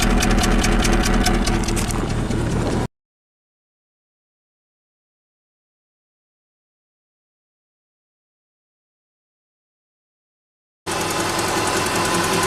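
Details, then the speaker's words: 2008 Subaru Legacy 2.5 SOHC, 164,000 miles, junkyard replacement engine misfiring on cylinder 4 with an engine tick; injector, coil and plug swaps changed nothing. Idle lopes unevenly with a steady stumble about four times a second: misfire from a compression problem. "oh what do we have today 2008 Subaru Legacy with a misfire and an engine tick"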